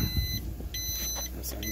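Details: 2002 Four Winns Horizon 180 with a Volvo Penta 4.3 GL, ignition on and engine off: repeating high beeps about half a second on and off, the normal no-oil-pressure alarm at key-on; the fault was a failed alarm temperature sensor.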